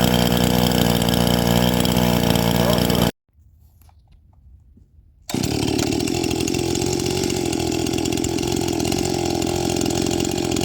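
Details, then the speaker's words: First-generation Stihl MS261 two-stroke saw with a rebuilt Zama carburetor, gutted muffler, 30:1 mix at 7,000 ft, idle tuned slightly rich: steady, even idle about four beats a second with no stalling or surging; normal idle. "okay so she's got a good idle just getting enough air and fuel I tuned up the throttle just a little bit touch the throttle up just a little bit the low jet is just a little bit rich"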